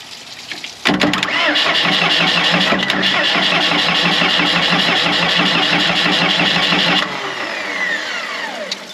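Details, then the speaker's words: Morbark 2400XL track chipper's 4BT diesel, bought at auction sight unseen: about six seconds of steady cranking, near four turns a second, that never catches; no fuel at the injector line, and the owner suspects the fuel shutoff solenoid is stuck closed. "Oh, look at the fuel solenoid shut off. I bet you that's open and that's closed, because it could be a mechanical."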